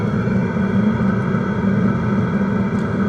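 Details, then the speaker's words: Diesel heater restarted after pump connectors, possibly dirty, were cleaned and after long disuse: steady, even burner roar with constant fan hum and no sputtering or surging; firing normally, giving good heat. "Okay. So I started it again, and now it's actually running."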